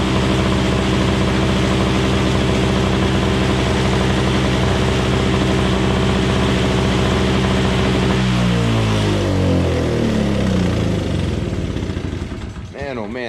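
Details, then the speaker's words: Craftsman 21" 5hp two-stroke Tecumseh single-stage snowblower after carburetor cleaning: a steady, even drone with no misses, then it shuts off and winds down smoothly; it banged like a gunshot on choke but cleaned up once the choke was off. "thing sounds like a gunshot going off when it was running on a little bit of choke but I took the choke off and then it cleaned up a little bit it needed some time to run"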